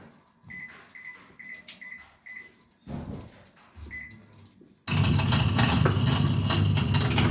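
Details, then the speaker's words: Toshiba 8 kg washing machine during spin: a few control-panel beeps, then a loud, harsh, deep steady rumbling roar from the noisy drain pump, which is then replaced. "الصوت اللي سمعتوه ده طبعا صوت مزعج جدا اثناء عمليه العصر الصوت ده يا جماعه صوت طرنبه الطرد"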